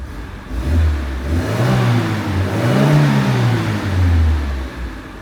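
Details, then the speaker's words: Classic Renault R16 after a low-oil-pressure, knocking-bottom-end repair without a crank regrind, oil pump primed: smooth revving through several blips, clean even note, no knock; healthy engine warming up. "the engine sounds so sweet now I might give you a little little taster of that I don't know if we'll be able to hear it up"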